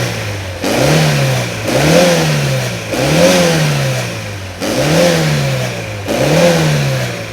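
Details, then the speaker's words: 1980 Ford Taunus 2.0 Coupe carburettor engine on LPG: repeated clean throttle blips with no coughing, and a steady idle; carburettor well adjusted, though valve clearances may need slight adjustment. "Tüplü olduğu için normaldir Ama zaten projemiz ilerleyen zamanlarında her şey değişecek Ama şu an gayet rölantisi falan düzgün"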